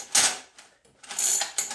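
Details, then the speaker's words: SSR 49cc pocket bike that won't start: two short, scratchy ratchet bursts as the recoil rope is pulled, each stopping dead with no cranking; engine seized, while the recoil itself extends and retracts freely. "which is you pull on the recoil and it locks up let's see if we can do that yep sure enough"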